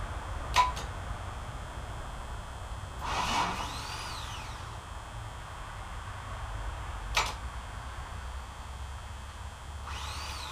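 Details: OMC 4.3L engine, starter opened and brushes cleaned after one was stuck: sharp single clicks alternate with brief whirring bursts but the engine never turns over; starter still bad.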